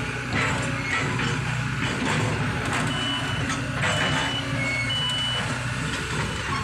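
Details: Kobelco SK200-8 excavator with error P0118 (insufficient engine power): intermittent high beeping over a steady diesel drone and clatter as the warning alarm sounds during operation; the cause is not yet found, and low radiator water level was judged unrelated.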